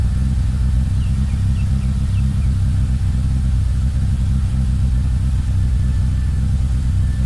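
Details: Mitsubishi Lancer EX turbo, plugs, leads, coil, cap and rotor, MAF and ECU already replaced, coolant and intake air temp sensors in spec: deep uneven rumble, lumpy stumbling beat while revving; rough running, likely misfire, cause undetermined.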